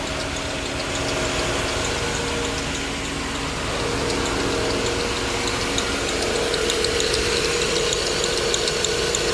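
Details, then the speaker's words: 2000 Grand Am with a rebuilt 2005 Impala 3.4L donor engine at first start, MAF and airbox not yet fitted. A fast chatter of about three ticks a second with a thin squeak over the idle, and the tensioner is bouncing. The alternator is suspected, or a pulley or the tensioner. "So we either got an alternator squeaking, this pulley, or the tensioner. Tensioner's bouncing a little. It kind of sounds like it's coming from the alternator to me."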